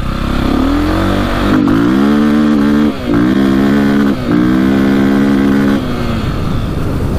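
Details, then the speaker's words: 2002 KTM 400 EXC single-cylinder dirt bike on a trail test ride: revs hard, then briefly drops out twice before picking up, seemingly hitting the rev limiter and not revving out fully. Power cuts in and out sporadically, running poorly under load. "this thing is just like so sporadic really does not sound good"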